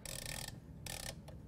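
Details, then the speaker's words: Moffat appliance timer's reversing switch tested for continuity: mechanical ratcheting clicks as timer turns, sharp click at changeover where the conducting contact opens and the other closes; switch working normally. "Once you hear the switch click, you should note that the one that had continuity previous no longer conducts, and the other one now shows a closed circuit."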